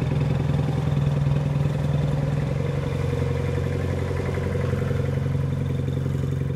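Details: Military Munktell C1 "long dog" hot-bulb road grader on first start in 50+ years after sitting broken since the early 1970s: slow, steady thumping near two beats a second, even rhythm; normal running.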